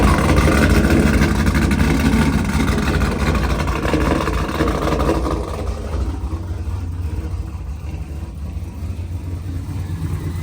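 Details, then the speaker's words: Pontiac G8 V8 idling on its first start after engine rebuild: deep, steady rumble settling slightly lower, no knocks or ticks, with some smoke the owner says is oil burning off. Normal smooth idle. "All right, this motherfucker running though. I ain't gonna lie."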